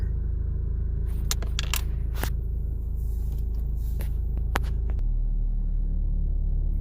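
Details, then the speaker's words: 2010 Ford Focus 2.0, about 40,000 miles over six years, heard from inside the cabin while revving: a deep throbbing idle rumble with scraping rattles as vibration shakes the steering wheel; worn engine and transmission mounts suspected, top mount already replaced several times. "in the video the motor is vibrating a little bit so i'm going to give a little demonstration on the gas and see if you can hear what's going on on the inside"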